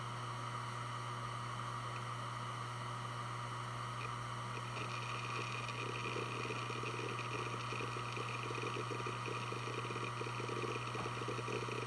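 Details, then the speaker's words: Western Digital Blue WD1600AAJS 160GB 3.5" 7200 RPM SATA hard drive from 2014, healthy with 17 hours, connected via USB adapter during file operations: steady platter hum with quick uneven seek chatter, normal healthy drive seek noise. "I'm now going to plug it in using a modern USB adapter and perform some file operations so you can hear how it sounds."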